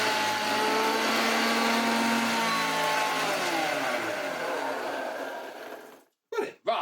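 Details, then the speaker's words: Hoover Junior 1334 vacuum cleaner, a loft find, first run; a harsh, loud motor drone with wavering whistles that slide down as it spins off, and the motor shaft moves because one motor bearing is completely gone. "Oh yes, you can tell that one of the bearings is completely gone because moves it. Shouldn't be able to do that."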